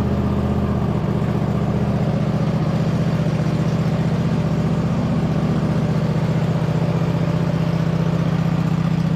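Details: 2007 White Outdoors (MTD) CT 54 zero-turn mower, Briggs twin, sat 3-4 years, first start on choke after top shroud refitted and factory fuel line hooked up: even, regular putter at steady idle, no stumbles or mechanical noises; normal idle.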